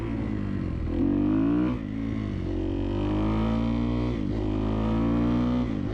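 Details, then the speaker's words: 2011 Kawasaki KX250F single revving up and down steadily and pulling cleanly after repair of an idle problem, with light, quick valve tapping because the valves were shimmed on the loose side. "she seems to run pretty good yeah this thing's got a ton of power for a 250"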